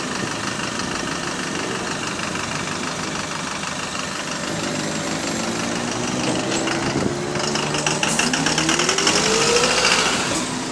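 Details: HV48 bus on route 335 diesel running: loud steady knocking three to four per second; suspected rod knock, cause unconfirmed.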